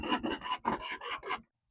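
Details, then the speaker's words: Tecumseh 17.5hp Yardworks ride-on mower: about six rough, raspy, slow cranking strokes, then it stops. The starter sounds weak and is judged on its way out. The bowl has no fuel, and a clogged fuel pump is suspected, not confirmed. "Got fuel. And that starter's [clears throat] on its way out."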